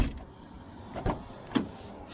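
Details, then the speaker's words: 1996 BMW 328is E36 power window closing right after the window regulator was fixed and adjusted. A smooth motor whir as the glass travels ends in a clean thump as it seats; the window works normally. "So anyway, looks like our window's pretty sturdy now. Let's see if it closes."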